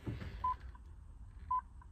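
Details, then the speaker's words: 2005 Dodge Ram 3500 Cummins, batteries reconnected after three days disconnected, key turned: two short high chimes about a second apart, no starter engagement; alarm light blinking, anti-theft system engaged, no crank, no start. "The alarm key or the ignition is on, engaged, but nothing. No crank, no start."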